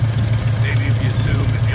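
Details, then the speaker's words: Carbureted V8 at idle, mixture screws about one turn out: sharp rapid puffing tick on each firing pulse from a header exhaust leak. The third header tube rests against the lower A-frame mount. "anyway it's sitting here idle and I'm sure you can hear that nasty exhaust leak"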